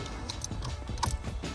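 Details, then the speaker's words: Dodge Ram truck ignition switch after repair or replacement, key cylinder reinstalled: a few crisp mechanical clicks and a light ratchet as the key turns and the switch engages cleanly on the other side; normal ignition switch engagement. "And guess what? My key still works, and I can hear it engaging on the other side, and if you feel it, you can feel it engaging. You know it's good."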